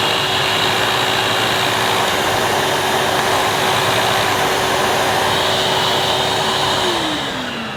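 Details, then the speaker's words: 2005 Numatic Edward Turbo vacuum with turbo electric head: steady roar with brush motor hum that sags and winds down near end; head cuts out intermittently when moved, owner suspects short in head's neck or the switch. "The head did cut out briefly, but I'm sure it's just an easy fix."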